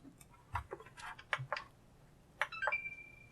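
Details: Used Xbox One S with power issues: a few soft clicks then one steady high beep with no fan spin-up; console beeps but won't power on, cause unconfirmed.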